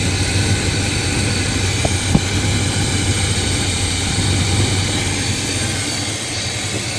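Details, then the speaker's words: Brother's square-body short-box truck with carburetor, after tuning, timing estimated around 32-34: settles into steady even idle with smooth low rumble, no misses or knocks; running significantly better, starts easier; normal idle. "But, it is running significantly better. It starts way easier."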